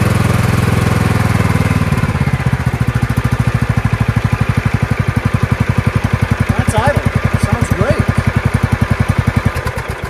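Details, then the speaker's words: Craftsman 15/17 42-inch lawn tractor hauler with swapped Kohler Command engine, after stator/magneto and wiring harness rework and new starter solenoid: first start after the work, steady even single-cylinder thumping settling into a smooth idle, no misses or knocks. "let's see if it starts oh my God oh my God what do you guys think I think after all that it works"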